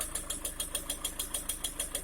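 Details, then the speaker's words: Engine after replacing the pistons and rings with a non-interference type, at 6,000 km, idling with the bonnet open: a sharp, even ticking knock about six or seven times a second; the knock persists after the repair, origin unknown. "После замены поршневой на бесцикловую слышим вот такой вот звук."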